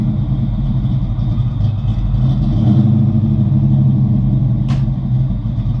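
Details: 1988 Mustang GT V8, third computer with 306 heads/cam/intake tune, base idle reset and timing dialed in after MAF, distributor and fuel problems: steady even rumble with slight swell, no misses or knocks; normal running.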